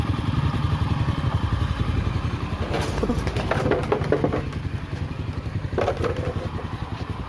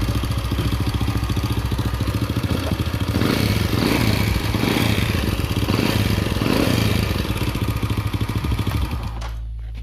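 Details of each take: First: Honda Astra Star motorcycle after repair of a noisy cylinder head: oil passages blown clean so oil now reaches the head, rocker arms replaced; idles with an even low thrum and no ticking. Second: Honda Supra (Astra) motorcycle at idle: fast, dry ticking clatter from the top end, also hard starting; mechanic suspects tight valve clearance or cam chain, finding is oil starvation.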